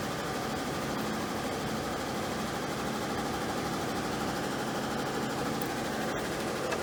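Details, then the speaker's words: Carrier gas furnace blower: steady, weak airy whoosh with a faint low hum and no speed pickup. The capacitor tested good at 7.3, so the blower motor itself is failing and was replaced. "i'll tell you to be honest with you that sounded like the motor's not good but we're gonna check this cap first"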